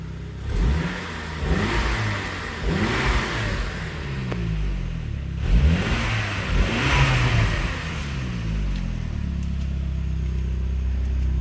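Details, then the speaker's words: 2002 Saab 9-3 SE 2.0t LPT: repeated revs from idle, each with a rising hollow ghost-like woo whoosh; sign of a bad turbo, especially with blue exhaust smoke at startup. "But yeah, when you hear that woo sound, sounds like a ghost inside your engine. That's a sign of a bad turbo, especially when you mix that with the blue smoke from the exhaust system when you start the car."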